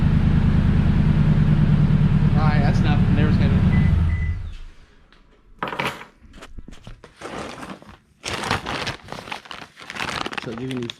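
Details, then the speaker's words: 2016 Toyota Tundra Platinum 5.7 iForce V8 with muffler removed before Corsa exhaust install, cats only: loud, deep, throaty idle with steady low pulse for four seconds, then shut off; open exhaust without muffler. "Once there was no muffler, it was just the cats. Let's start and see what it sounds like."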